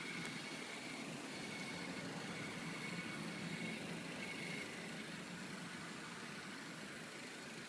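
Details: 2013 ninth-generation Honda Civic, cold start after one to two minutes' idle: intermittent thin whistle, like an insect chirp, near the right front under the hood over a quiet even idle; owner suspected alternator (swap didn't help), dealer says normal EGR valve sound.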